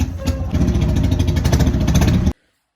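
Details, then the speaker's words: Harley-Davidson V-twin idling with an uneven stumbling beat; oily spark plug and oil atop the piston point to leaking valve stem seals or worn piston rings; misfire from oil fouling. "can you believe I was just about to go out on a nice ride on my Harley when this happened the engines misfiring something is seriously wrong"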